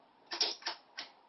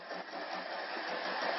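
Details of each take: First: Netgain industrial controller running an electric motor module with a 36 V pack: three crisp clicks within about a second as contactors pull in one after another for pre-charge; normal startup sequence despite a lingering fault code. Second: Electric conversion with NetGain industrial controller, 36 V pack, in first gear at 30–50 A: even whir swelling with speed and faint beat about four per second; owner suspects motor and transmission misaligned, not centered.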